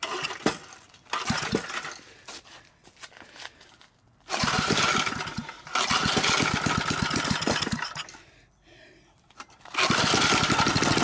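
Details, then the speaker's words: Previously locked-up 3 HP Briggs & Stratton single-cylinder engine, freed and restarted: catches after rope pulls, then steady even running rattle with no knocking heard; sounds normal. "that was free that was locked up and we got it running and it sounds good I don't hear any knocking so that's probably going to be a good little three horsepower engine"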